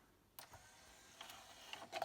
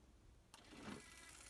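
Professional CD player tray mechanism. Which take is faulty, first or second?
second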